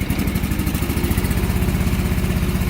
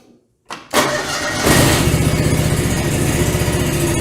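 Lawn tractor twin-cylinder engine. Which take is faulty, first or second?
first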